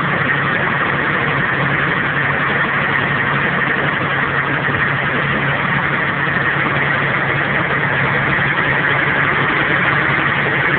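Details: VR4 Stealth twin-turbo V6, cold, idling with a dense, busy clatter under a steady hum; low oil pressure, quieter once warm; bearings were worn, suspected spun bearing, camshaft later snapped and engine was replaced.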